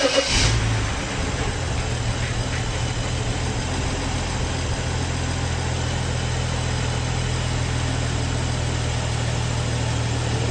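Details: Early BMW N55 at idle after replacing a failing N54-style high pressure fuel pump with a rebuilt unit with E85 seals: brief catch on startup, then smooth, even low idle with no misses, ticking or hunting; rail and low-side pressure good, healthy running.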